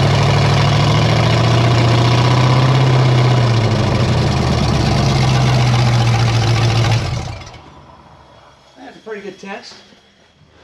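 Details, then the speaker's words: 1954 Chevy 3100 at first fire-up, no coolant yet: heavy, steady low rumble at idle with a slightly uneven beat before it cuts off. Owner suspects open vacuum ports pulling in extra air. Rough idle. "Oh, that's probably why it's idling a little weird. That's a vacuum I need to fill. Oh, and that's a vacuum I need to fill. So, it was pulling in a little bit of extra air and didn't know what to do with it."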